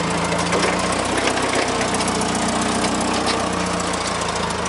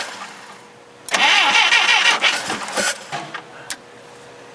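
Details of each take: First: Clark C500-45 propane forklift after tune-up with new spark plugs, new plug wires, new distributor cap and old rotor: settles into a steady, even idle with constant low drone, no stumbling or misfire, healthy. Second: Clark C500-45 propane forklift after a new distributor cap, spark plugs and wires: the starter churns evenly for about two seconds but the engine never fires. The new cap is suspected of not making contact. Crank, no start.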